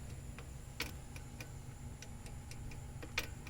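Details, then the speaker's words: 1967 Rambler drum brake, adjuster lever worked by hand: light, sharp, unevenly spaced clicks as the self-adjuster lever rides over the star wheel, screwing the adjuster out; normal self-adjuster clicking. "that clicking is the auto adjuster actually riding in"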